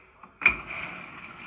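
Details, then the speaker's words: Older Frigidaire stackable washer after repair for bird-chirping noise in wash/spin cycles, drive belt replaced: click as dial turns, then steady soft hiss, no chirp; nice and quiet. "little water in it turn the dial that's it it's all set nice and quiet"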